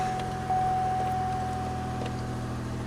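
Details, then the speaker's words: 2003 Pontiac Grand Am 3.4 (LA1) V6, cold start after reassembling the mount, power steering pump and cruise module during the misfire repair: low, even, smooth idle with no missing beats; it sounds better already, with slight cold lifter tick mentioned. "Alright, let's start it up. Huh, sounds better already."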